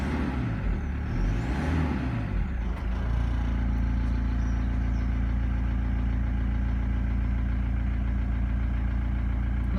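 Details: VW T4 van with ABL diesel engine, first start after replacing the fuel filter: cranks about three seconds, catches cleanly and settles into a steady, even diesel idle with no stumble; runs fine.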